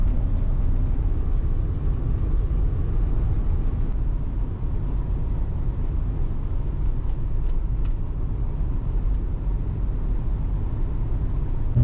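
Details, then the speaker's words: Ford F-150 at idle: low, even, super quiet engine rumble with no ticking or exhaust puffing. "this one's for power steering power brakes with master cylinder yeah this is super quiet"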